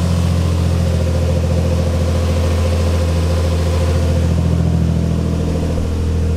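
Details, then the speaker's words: Built twin-turbo Infiniti G35 (Greddy 18G turbos), just fitted with a fuel pump relay for a Walbro 485 pump, pump primed before starting. Deep, even rumble with no misses or knocks; it starts first try and runs cleanly. "yes dude oh my god that's so sick first try bro it never goes as planned"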